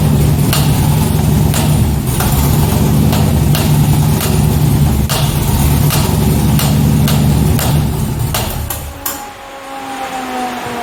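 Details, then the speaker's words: 2005 C6 Corvette Z51 LS V8 at idle after a backfire damaged the intake, which has been repaired: a deep metallic knock about four per second runs steadily until shutdown, a pretty bad rod knock. "so if you couldn't tell there if the audio wasn't good enough it's a pretty bad rod knock"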